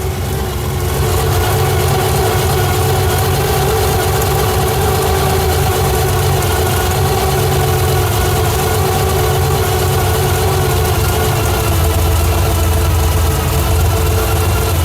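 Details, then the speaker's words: 1987 Pontiac Firebird with swapped 350 bored .040 over, Lunati cam, 202 heads, Holley 650 carb, noisy timing gears, heard from rear with quiet exhaust: steady deep idle with slight cam lope, no misses; normal cammed idle. "Oh yeah, the exhaust is very quiet on this car. We're going to address that later, but you can definitely hear that cam lobe. A little bit of a gallop to her."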